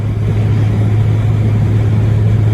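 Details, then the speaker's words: Hyundai Tiburon driving after wheel bearing replacement, window cracked and windy: steady low road rumble with wind hiss, no roaring, hum or growl from the wheel and no wheel vibration; the earlier roaring is gone, new bearing sounds fine. "no vibration in the wheel you guys can see my hands not vibrating all over the place and we're doing decent a mile hour"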